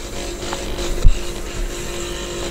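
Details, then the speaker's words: 4440 IC amplifier board with IC fitted, no-sound repair: touching the input by hand gives a steady low mains-type hum through the speaker, showing the amplifier IC passes signal and works. "आप भी देखिए यहां पे हाथ रखने से आवाज़ ए रही है इसमें भी रखेंगे तो ऐसे ही आवाज़ आने लगेगा फ्रेंड्स"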